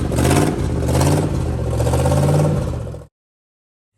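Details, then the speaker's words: 1969 Chevrolet Caprice 427 V8, 4-speed, running after sitting since 1988, fed from a gas can: revs up unevenly with a lumpy, stumbling beat before shutting off; rough running, stuck lifter suspected, noise from one corner. "whoa doesn't run very well but it runs oh how to lifters stuck or something more than a lifter than a step"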